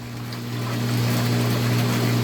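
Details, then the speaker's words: Half-HP peripheral water pump drawing from a container: smooth, steady low motor hum with even water rush and no surging or air sucking, then stops cleanly; holds suction at good pressure, normal running. "Observen la bomba, cómo inmediatamente hizo la succión. Y observen cómo se mantiene la bomba succionando agua a una muy buena presión."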